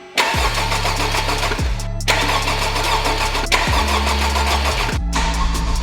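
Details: Rebuilt totaled 2021 Honda Civic Type R, first start attempt with a poor intercooler pipe and a wrong harness connector: repeated bursts of even starter cranking that stop and restart without catching; cranks but won't start.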